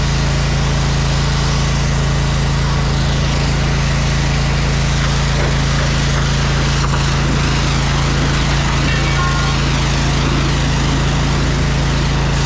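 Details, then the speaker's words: Electric-start small engine on a jetter trailer, run on choke: loud, steady low drone with a constant firing beat and no knocks or misses. Sounds good and healthy. "Thing sounds good, man."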